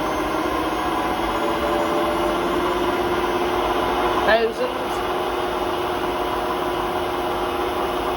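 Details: Hotpoint WMA32 washing machine spinning at 800 rpm in its last run before new bearings; steady roar with droning hum, one brief knock midway; drum rubbing the bearing seal, bearings practically gone; worn drum bearing rumble.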